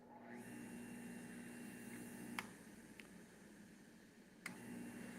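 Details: Juicer that was brought in as not working, running after it was found to be just stuck and freed by disassembly: quiet steady motor hum at even pitch with a few light handling clicks; runs smoothly.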